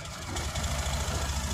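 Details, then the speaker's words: Honda Activa 6G after half engine work, with self-start problem: scooter starts and holds a soft, even idle with steady low putter; runs fine, but self-start fails again after switching off and back on. "பார்த்தா அப்படின்னு சொன்னன்னா வண்டி வந்து பக்காவா start ஆகி ஓடிிட்டு இருக்கு."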